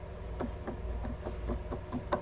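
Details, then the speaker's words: Yamaha XS650 crankshaft turned by hand: gritty rumbling spin with dry clicks about four times a second from worn main bearings; some connecting rod side play. "So this is the crank that came out of this engine, and it's got a lot of wear on it, like these bearings."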